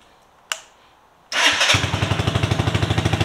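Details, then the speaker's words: RPS Condor (Honda Grom clone), 150cc single-cylinder: the starter catches quickly and it settles into a steady, even idle pulse with no misses or knocks. The bike runs healthy. "yeah man bike runs sounds amazing looks amazing"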